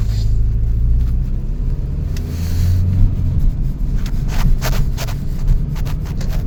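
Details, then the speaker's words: 2000 Toyota Celica GT on a test drive at about 40 mph after new parts were installed, now warmed up: a steady, even low engine drone under road rumble with no misses or knocks. The earlier shaking seemingly just needed warm-up, and it now runs smooth. "Everything's perfectly fine, guys. Yes, sir. Running smooth. Yeah, probably that vibration just needed to warm up, I guess."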